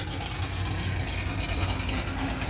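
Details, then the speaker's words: 1970 Pontiac LeMans, rebuilt 455 V8 with 6X heads, Edelbrock dual-plane intake, Quadrajet carburetor, MSD 6AL-2 ignition, after ignition troubleshooting: deep lumpy burble settling into steady idle, no misfire; normal idle. "Yeah. She sounds good. It's fun when muscle cars flex."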